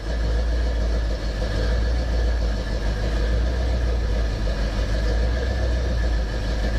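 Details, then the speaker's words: 1968 Pontiac ambulance with an Aces Killshot throttle-body EFI, just started cold after sitting 2.5 weeks: steady, even low rumble with no knocks, misses or hunting. The AFR is settling and it is cleaning up; normal cold idle. "Pissing off all the neighbors at the moment. The AFR is already getting where it needs to be. She's cleaning up."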